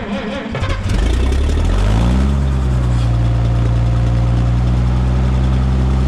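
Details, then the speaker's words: Minneapolis Moline G900 LP tractor, jump-started after the carburetor was cleaned and its setting restored, fires, briefly revs, then settles to a steady, even low idle with no misses. "oh my reliable dragger back to being reliable so good"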